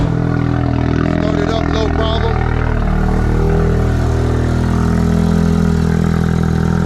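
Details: Ford Focus RS/ST, idling after installing a Radium high-flow fuel filter, pump primed and no leaks found: smooth, even idle held steady for several seconds, no misses, ticks or rattles; runs cleanly, normal idle.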